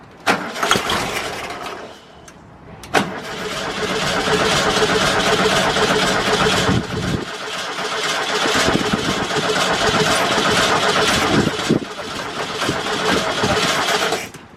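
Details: VW Bus flat-four after new fuel lines: starter churns in a couple of short bursts, then it catches and settles into a steady, even chuffing idle, though fuel leaks at the fuel pump; normal cranking and start.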